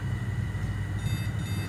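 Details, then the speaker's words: ECS H61H2-MV motherboard with a no-display fault, RAM removed: a continuous high-pitched buzzer tone over a low fan hum; a no-RAM beep code calling for memory. "saya coba Lepas dulu memorinya Apakah bajernya bunyi dan bunyi ya teman-teman bazernya Bunyi meminta RAM"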